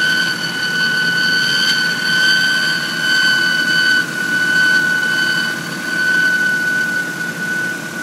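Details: 1997 Honda Civic DX, 5-speed, 4-cylinder, at idle: piercing steady high-pitched whine or scream with fainter higher tones; owner suspects the timing belt, not confirmed.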